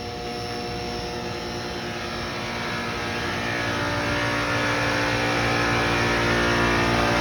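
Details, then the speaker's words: HVAC unit with a low refrigerant charge, now running on its own without the contactor being pushed in manually. Steady droning hum with fan rush as the compressor stays on; charge still low, with a slight leak suspected and a leak search planned. "the compressor is running on its own right now it's stay [Music] online I didn't have to manually turn it on or manually turn and push the contactor in"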